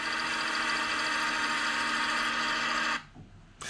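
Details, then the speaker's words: Ford Focus Mk1 with LPG system: the engine runs with a clear misfire and a steady whirring tone near the belts. The source of the whir is unconfirmed; a bearing is suspected. "yeah there is also another sound it sounds like while the belts there there's some sort of wow it could be a bearing sound from what I've heard"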